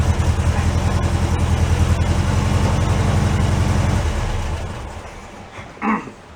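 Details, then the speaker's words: 1968 VW Beetle barn find, air-cooled four, sat five years, first start after battery change: even quick chuffing idle for a few seconds then shut off, regular beat, no knocking; runs healthy. "I am very happy with that. That's one nice little car."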